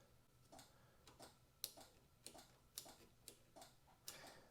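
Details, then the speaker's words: 1983 Yamaha XZ550RK Vision, long-neglected, ignition on after wiggling the fuses: light sharp ticks about twice a second from the relay, showing the ignition switch works normally. "I hear the switch is working because I'm hearing something at the relay oh that's good"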